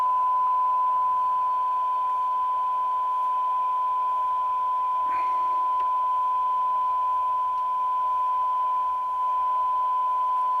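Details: Roberts R707 radio after peaking the IF transformers: clean steady tone without crackle, hiss bursts or dropouts; receiving properly, oscillator alignment slightly off.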